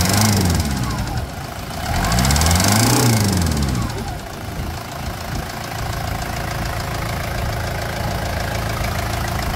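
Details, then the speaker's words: Toyota Land Cruiser Prado diesel with a knocking engine, oil pressure at 35–43 psi rising on revving: after a quick rev it settles to idle with a steady knock about four times a second, fitting piston slap. "Vamos começar agora Land Cruise com problema de motor batendo batendo"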